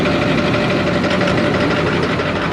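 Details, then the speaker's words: Ford 6.4 Powerstroke diesel, customer complaint of rough running, leaking, smoking, heavy blow-by, turbo possibly failed: rough uneven idle with lumpy stumble and constant clatter; cylinder number two found dead. Dead cylinder, rough idle. "um so the customer says it runs rough and it's uh leaking and smoking and all the good typical 6'4 stuff so i've already kind of looked at it thing runs like crap"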